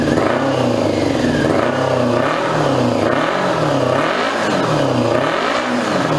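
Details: 2002 Yamaha YZF R6 four-cylinder, 6 years sitting, restarted after fuel-leak cleanup: revs rise and fall with a ragged, lumpy exhaust note, seemingly running on three cylinders. Owner suspects a gummed carburetor or fouled plug, unconfirmed; bad gas on the exhaust smokes.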